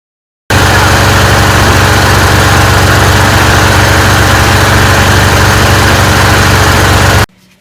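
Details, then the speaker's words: John Deere lawn tractor with a Kawasaki FD-series V-twin, before repair, seat safety switch overridden, spark tester inline: a loud idle with a ragged, uneven, stumbling beat; very weak spark on one side from a faulty ignition coil, with poor performance especially under PTO load. "I could barely see it in real life. Very, very weak spark on this side. And that correlates with the coil problem on this side"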